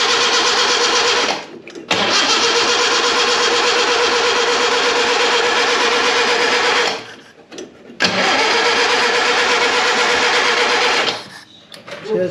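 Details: Premier 118 NE car that sat unused for a long time: repeated long cranking bursts of several seconds each, starter turns but the engine never fires; crank no start, cause not confirmed.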